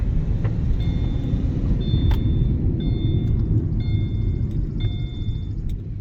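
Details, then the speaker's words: Subaru Crosstrek rolling forward: deep continuous growl from the rear that does not change when the parking brake is applied, pointing to a worn rear wheel bearing. "So I tried the e-brake here, the parking brake, and it works good and the noise doesn't change. So it is a grind that we got to take care of here. Bearing, let's see."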